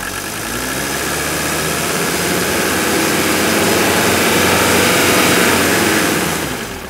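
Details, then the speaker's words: Older Mercedes diesel after installing new Monark injector nozzles to cure a pulsating shake at idle. Held just off idle, steady even clatter with soft, uniform injector tick and no pulsing: normal running. "once we bring it off idle it's going to really smooth out you can hear those injectors quiet down"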